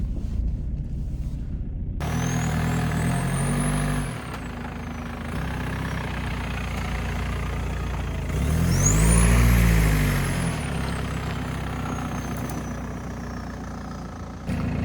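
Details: BMW E46 320d diesel wagon, British import, first start after sitting 3.5 months, fuel pump heard priming: cranks, catches at once, settles into an even idle with one clean rev. Normal start.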